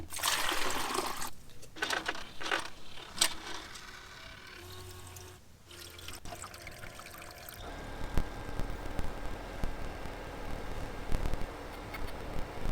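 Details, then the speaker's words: Portable ice machine running after replacing the faulty limit switch and reconnecting the plug; water trickles and pours, then low pump hum with light clicks as the first ice comes out. Normal cycle. "There it is. First set of ice blocks uh coming out of the machine. So, clearly it is working."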